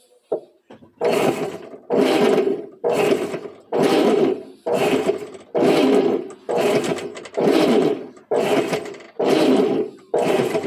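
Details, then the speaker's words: Top-load washing machine after replacing the faulty ratchet (catraca) and spring, which had been noisy and jamming: steady churning strokes about a second apart, even and free, no grinding or catching; normal agitation. "Aí tá funcionando legalzinho."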